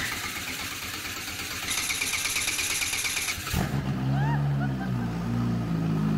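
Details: Engine cranking and starting on a large homemade snow blower build, third attempt after fixing a park/neutral safety switch fault by connecting the purple wires; starter grinds a few seconds, then the engine catches and settles into a steady low idle.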